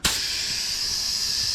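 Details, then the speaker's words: 2018 Honda CRF450R tubeless tire being reseated: constant, sharp, high hiss with no rhythm as air bleeds past a gap where the bead meets the rim; tire bead air leak. "so the air is coming out from somewhere now look right here the same direction the other end the other one"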